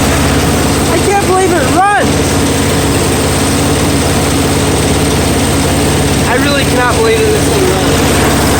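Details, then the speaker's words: Curb-find Snapper mower, Briggs & Stratton single-cylinder, reassembled and run on starting fuel, air filter off, despite nicked piston, corroded carb and twisted-off bolts: steady even buzz, no misses or knocks; normal running. "and there you have it the snapper I thought would not run because of how poorly the engine actually is"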